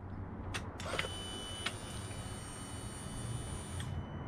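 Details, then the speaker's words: 2015–2018 Yamaha R6 with newly wired swapped fuel pump, powered by a jump starter with no battery: key-on gives a thin high whine for about three seconds, then cuts off; pump primes normally. "So now when I turn this key, we should hear the whee of the pump going on."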